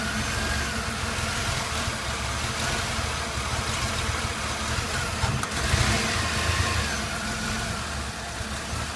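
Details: Chevy Blazer S10, hard to start: uneven lumpy idle with wavering note; fuel pressure steady at 60-62 psi so pump and regulator ruled out; nearly chokes at full throttle, runs fine above 1300-1500 rpm; cause not found.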